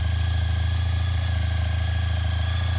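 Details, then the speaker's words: 2003 Honda ST1300 ABS motorcycle after sitting about 24 hours, smooth even low burble at steady idle with no ticks or knocks; owner says it always starts this way hot or cold: normal idle. "The bike hasn't been running about 24 hours. And that's how it always starts, hot or"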